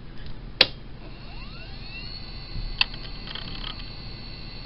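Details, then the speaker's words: Old PC hard drive, roughly 7.4 GB, running: very quiet soft rising whine settling to a faint steady high tone with a couple of light clicks; normal hard drive running, quieter than an older drive. "vous pouvez entendre que c'est quand même très silencieux beaucoup plus que celui ci même s'il fait pas beaucoup de bruit"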